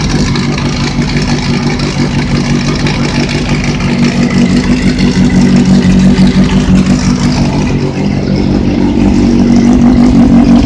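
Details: Engine running with steady metallic rattle about three per second through light revs, located next to the sprocket; owner suspects bearing failure, unconfirmed.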